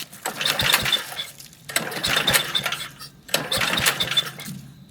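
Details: Old MTD walk-behind lawn vacuum blower, sat about 3 years; has compression, original spark plug on: three recoil pulls about two seconds apart, no catch or firing; cranks but won't start, owner suspects dead spark plug.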